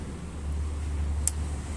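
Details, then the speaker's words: Chevrolet Aveo 1.6 E-TEC II, fuel pump relay activated via scan tool actuator test while diagnosing a pump fault: one crisp relay click over low background hum; relay switching normally. "se oye como como truena lo que es nuestro delight vamos a desactivarlo ahora vamos a verlo aquí ahí esté relais vamos a activarlo eso quiere decir que nos está funcionando bien el relevador"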